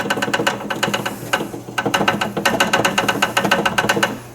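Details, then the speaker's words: Brastemp washing machine in spin with clothes loaded: fast, sharp clattering knocks, about six a second, as the tub shakes. A missing mounting screw on the tub leaves it loose. "aí o que que acontece acontece isso na hora que ela vai centrifugar o tanque t a balançar e e o barulho"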